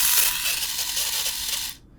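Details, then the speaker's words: Canon 1014 AZ Super 8 camera, disassembled to fix a sticky trigger: high, fast motor whirring continues without a trigger press; the motor switch contacts won't stay apart, so the motor keeps running; repair unsuccessful. "so unfortunately um I was not able to really fix the problem as you can hear it"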